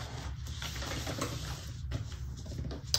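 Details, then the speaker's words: Juki 1181n-DU sewing machine stitching with black Tex70 bonded nylon thread: loose rattling clatter over a low motor hum, a sign the bobbin is nearly empty. "you can hear when you didn't get used to your machine you hear that rattling and you know your bobbin is not full that's what I listen for"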